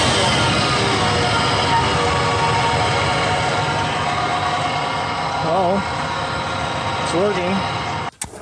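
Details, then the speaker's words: 2000 Nissan Xterra 3.3L V6 after fixing crank-no-start caused by faulty cam position sensor in distributor, tachometer working again: steady, even running with clean smooth rev, no misfire or stumble. "Finally, guys, we got our issue figured out. Uh, there was a problem with the cam positioning sensor inside the distributor, but we did pretty good diagnosis."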